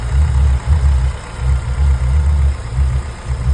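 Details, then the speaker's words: Hyundai engine at idle after replacing a worn, pulley-polished poly-V accessory belt (power steering, AC, alternator) with a new Italian belt: steady low idle with an even pulse, no squeal or chirp; quiet and healthy. "Всё тихо никаких вигов нету"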